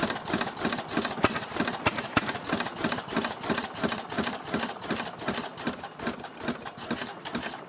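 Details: Restored 6hp Fairbanks Morse Model Z stationary engine, hand-cranked and running on kerosene with a buzzsaw hooked up: slow, even chug with a crisp clack about three times a second from the spring-loaded intake flapper snapping shut each cycle; normal healthy running.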